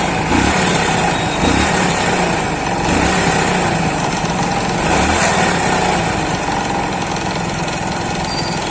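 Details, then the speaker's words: Hero Splendor single at uneven idle: dull knock from the flywheel (magneto) side that lessens when the magnet is pressed in; excess crankshaft end play, needs shimming at the crank bearings. "जब हम इस गाड़ी को पिचक से magnet को press करते तो आवाज कम हो जाती है"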